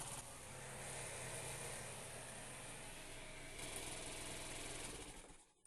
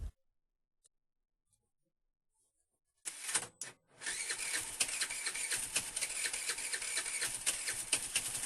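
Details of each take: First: Chinese scooter with an AC-type switch (commutator), cold weather: the starter whirs steadily and the engine turns over but never catches before cranking stops; cranks but won't start on the starter from weak spark. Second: Chinese scooter with a weak spark that won't start on the electric starter when cold, being tested with a transistor switch: quiet at first, then catches and settles into a quick, even idle. Normal start and idle.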